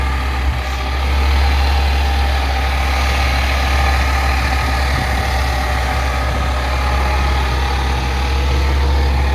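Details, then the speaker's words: Lifted 2001 Ford Excursion with newly installed replacement engine, idling: constant high whine over the engine, suspected pump or alternator, source unconfirmed; owner also doubts the water pump is circulating well. "You definitely hear that pump whine, or the alternator whine."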